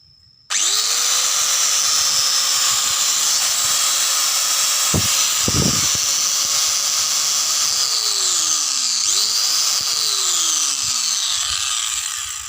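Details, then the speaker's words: Angle grinder that had been growling ("ngorok"), run after disassembly and reassembly: motor spins up quickly to a steady high whine that holds even with no growl or rattle, so it runs normally again. "Lihat, suara mesinnya sudah kembali normal, teman-teman. Sama seperti sebelumnya."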